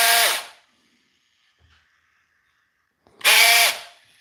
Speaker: Hear that? That's not in good shape. That wasn't probably going to work anyway.